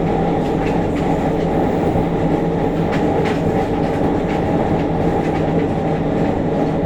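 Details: JR Kyushu 303 series set K01, car 4 MoHa 303-1, recorded directly above the Hakata-end bogie between Shimoyamato and Hatae: loud steady rumble with a heavy droning groan and shudder over the rail clatter. Abnormal traction motor noise with heavy vibration.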